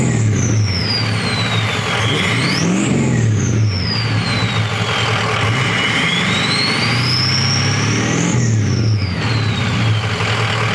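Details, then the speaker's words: Ford 6.0L Powerstroke Excursion just after installing Warren 175/30 injectors with a custom Gearhead tune; it came in misfiring, rough and down on power: clean, even revs with turbo whistle following engine speed and no misfire; runs much better. "So as y'all can hear, it runs pretty good, but definitely runs a lot better than when it came in here."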